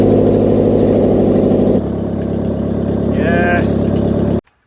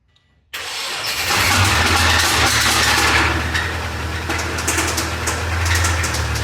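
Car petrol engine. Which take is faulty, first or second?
second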